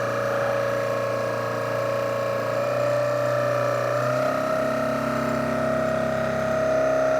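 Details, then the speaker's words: 1982-84 Harley Sportster Hitachi generator after rebuild (corroded brush holder fixed), bench-run by a drive motor at about 12-13 V, 13-14 A full output: steady high-pitched whine rising with speed, cause unknown. "12 not sure why it's making that noise but full output just like the other ones"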